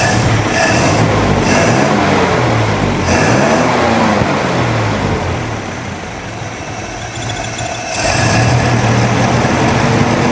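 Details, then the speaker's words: Jeepster Commando after a Rochester carburetor rebuild: fires quickly and holds a steady, even beat with a brief dip, no misses; runs well, though fuel leaks from the carb top (float suspected not shutting off); normal running. "I fired up pretty quick and it sounds like it's running really, really good."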